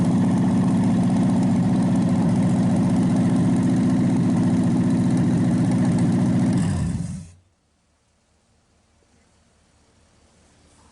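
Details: Packard 374 cu in V8 idling about seven seconds then shut down clean, during warm-up/cool-down cycles burning oil off after carburetor cleaning: smooth even pace, no skips or knocks, nearly quit smoking. Normal idle.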